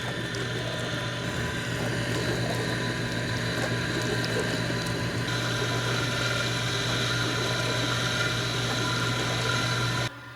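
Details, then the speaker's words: Maytag MDB9959SKZ dishwasher, about four years old, gradually louder: harsh grinding and rattling over steady pump hum during wash/recirculation, from underneath; faulty pump assembly, replaced with W11416363. "It starts getting noisy when the research pump starts going. It's probably a toothpick or a bobby pin or, you know, part of a whole chicken."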